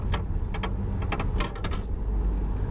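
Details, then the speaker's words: Low-mileage (10K miles) Range Rover Evoque driven over bumps: dull clunky knocks from the front over steady road rumble, caused by a broken front suspension coil spring. "so hopefully you had that sort of clunky clunky so we'll have a look"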